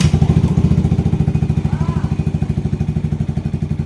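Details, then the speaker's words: Yamaha Aerox/NMAX 155 single-cylinder scooter, after CKP sensor replacement for stalling with error 12, idling 30-minute test: even steady putt-putt, no stumbles or cut-outs; ran about an hour without stopping. "Mga siguro 30 minutes mga boss, paandarin natin itong motor nakababad, naka-idle."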